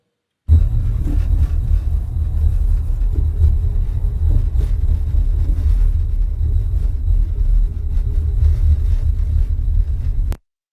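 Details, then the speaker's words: Interior rattle inside a moving car: irregular light taps and clicks over a steady low road rumble, caused by impact between two components under driving load. "And I have here 2 different audios to represent each one of these problems. This first one would be the rattle."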